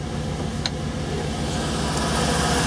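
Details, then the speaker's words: 2005 Chevy Express 3500 van, after no-start with no fuel pump operation, fuel pump relay reinstalled: starts, steady even smooth low rumble, no misses or knocks; running normally. "Oh reach under here there it goes it started"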